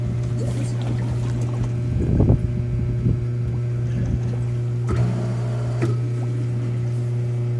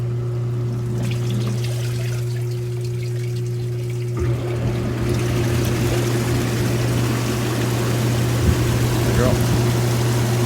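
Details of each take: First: Hot tub after replacing a burnt spa pack with a BP7 (TP500), refilled, pump run on high speed to prime: steady low hum with irregular gurgles and splashes; pump purging trapped air. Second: Hot tub circulation pump after replacing a burnt spa pack with a new BP7 pack, run on high speed to purge air: steady low hum with water rushing and trickling, running smoothly and evenly.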